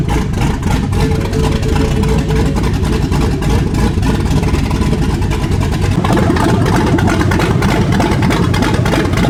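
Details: 2015 Ford Mustang S550 with a 7.3 Godzilla V8 swap, start after fixing missing RPM signal to the body control module: fires and settles into a loud, steady lope, pulls cleanly on a blip; normal start.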